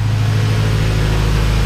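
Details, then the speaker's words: Honda B-series VTEC engine (98-spec Integra Type R) warming up after valve stem seal and lost motion assembly replacement: smooth, steady low idle with an even hum, quiet with no noticeable valve ticking; normal warm idle. "sure everything's fine it's actually nice and quiet now I don't hear a lot of ticking from the engine sounds good"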